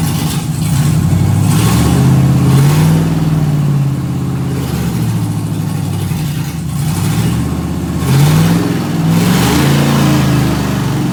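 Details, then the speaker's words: Solstice with swapped Gen V L83 5.3L V8, E92 PCM, PSI harness, drive-by-wire pedal pushed by hand: revs rise lazily on each blip then fall back; slow RPM climb, owner unsure if due to stiff pedal, not yet logged. "It does seem like, I don't know if it's just because the pedal's so hard to push with my hands, but the engine kind of climbs slow in the RPM, but it's definitely working, so that's great."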